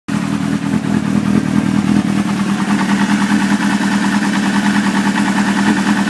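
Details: Suzuki GSX-R600 idling with an uneven, lumpy beat and occasional deeper knocks from the engine; intermittent engine knock, owner suspects a spun bearing.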